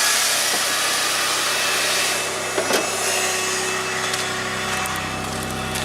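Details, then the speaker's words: Geo Tracker after two years without a battery, check engine light stuck on with a secondary air injection pump code. At cold start, a steady airy whir over a quiet idle, then it goes quiet: the secondary air pump is working normally. "you notice it just got quiet my injection pump is working"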